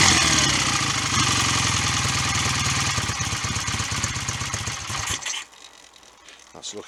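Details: BSA A65 twin just after a full top-end rebuild with new piston rings: even, brisk firing beat for about five seconds before shutting off, no exhaust smoke; normal running.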